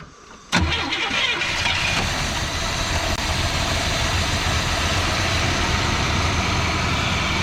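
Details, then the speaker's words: Malibu V8 after sitting 20 years, carburetor primed with poured fuel and an auxiliary gas tank fitted to test the fuel pump: starter whirs, engine catches and runs slightly lumpy idle on carb prime; fuel pump suspected not working. "I poured a little bit more gas in the top of the carburetor so she should fire off and when she does we're gonna hope that uh it starts drawing fuel from this tank"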